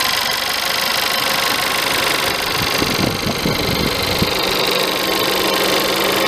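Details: VW Polo 1.2 TSI 66 kW at cold idle: an uneven metallic rattle, loudest for a second or two mid-clip, over a bright engine whir; rattle occurs when cold.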